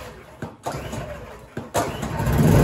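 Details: Champion dual fuel generator on propane, after swapping the faulty regulator for a new replacement: two quick starter-cord pulls, then it catches and builds into a steady, even run; starts fine.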